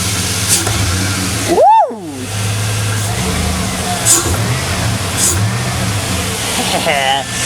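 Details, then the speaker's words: 2001 Chevy Silverado 5.3 Vortec V8 with a new Flowmaster Delta Force cold air intake: deep even rev that climbs and settles cleanly with a slightly drummy intake note, no knocks or misses; normal engine rev. "she sounds absolutely awesome can't wait to go take her out for a test drive"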